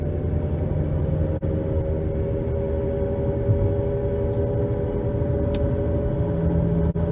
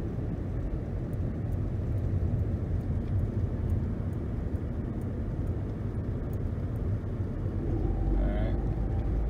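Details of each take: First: 2011 Nissan Rogue at 60 mph on new balanced tires: steady droning hum and roar, about 72–75 dB at 50–60 mph, with pedal and steering vibration, persisting when coasting in neutral; worn front wheel bearings, hub assemblies to be replaced. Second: 2011 Nissan Rogue on new balanced tires and new brakes, accelerating to 60 mph then coasting down: steady low tire and road rumble, no hum, buzz or vibration: normal road noise at highway speed.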